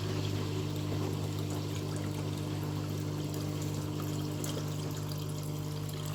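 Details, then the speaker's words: Scrap washing machine during rinse/drain cycle, after lime scale was cleared: steady low hum and pulsing drone over trickling water; owner assumes the drain pump, not confirmed. "That's the noise, that was the noise it was making. I'm assuming that was the pump."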